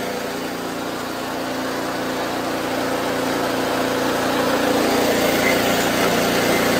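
Even, steady small-engine drone with a regular beat and a gradually building level, no misses or knocks; it's running smoothly.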